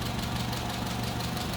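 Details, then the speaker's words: 1959 Hillman Husky sedan delivery, 1,390 cc inline four, 12-volt system, heard at the open engine bay: steady low purring hum with regular even pulse, nothing rattling; normal idle. "Looking good. Here it is. Purring right along again."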